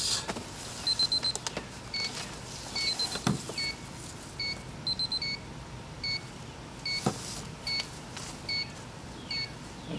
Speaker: okay it's been about 2 hours as you can hear from the beeping back here one of my triy tips is at 140° so I'm going to take that off this one right here